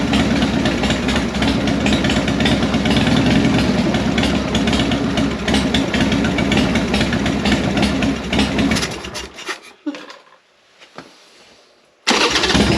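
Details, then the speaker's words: 1998 Harley Sportster (XLH883 converted to 1200), sat four years, carb ultrasonically cleaned, choke held by hand: loping V-twin idle runs about nine seconds then dies; fixed, but bowl gasket weeps and idle needs adjusting. "So it looks like it's fixed. Still got a little weakly. I'm gonna have to replace the gasket on the bowl, but that's what the problem was. We'll have to adjust the idle a little bit on this too."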